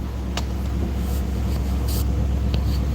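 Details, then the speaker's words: Classic Ford at idle through glass pack mufflers: deep, slightly uneven loping burble that sounds like a misfire, but the owner says it's a glass pack trait; normal idle. "But yeah, these glass packs make it seem like it's misfiring glass packs. I mean, my grandpa's truck does it, his hot rod, Christine does it, and same as Ruby. So, it's a glass pack thing."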